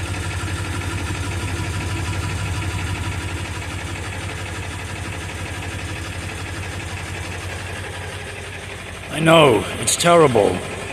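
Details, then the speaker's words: 1999 Ford F350 7.3 L turbo diesel, 217,000 miles, cold start on a summer day: uneven, lumpy idle clatter around seventy beats a minute; smoky oil-burning engine, improves as it warms but never disappears; cause unconfirmed. "it does improve as the vehicle warms up but never disappears"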